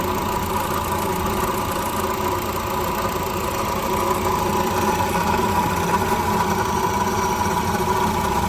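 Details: At 86,000 km, at idle right after starting: constant dry whirring hum holding pitch with no knock rhythm, like a broken bearing; worn water pump bearing.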